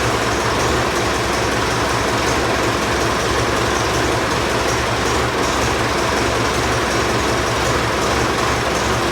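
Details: Ford 4040 industrial diesel tractor first start after fitting rebuilt injectors, cool day, ether used on weak battery: steady clatter with uneven unsettled beat; rough running, likely still clearing air from the fuel lines.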